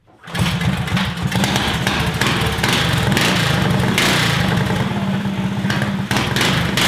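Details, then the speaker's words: Stage 2 Predator 420cc single-cylinder in a golf cart with a makeshift flex-conduit muffler that is not airtight: a fast, steady thump with a raspy exhaust edge, no misses or rattles; normal running. "so our makeshift muffler shame works pretty well man"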